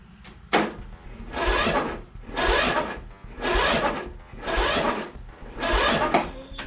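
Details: Toro 14.38Z zero-turn mower that wouldn't run, on a borrowed battery without jumper: slow, heavy starter grinding in bursts about once a second, turning over sluggishly but never catching; weak cranking, no start.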